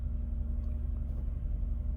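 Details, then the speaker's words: 2012 Nissan Murano with a blown head gasket, cranked after a K-Seal treatment (it had starting problems before): caught without hesitation and idles with a steady low rumble and an even beat, no misses. "all right this is 5 hours later let's see it's on he didn't hesitate he just started"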